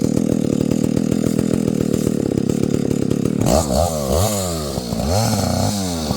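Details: Husqvarna 285 (85cc) two-stroke chainsaw after a seal replacement and a shortened bar, cutting wood: steady crisp buzz, clean bog and recovery as it bites, no stalling; pulls and cuts normally.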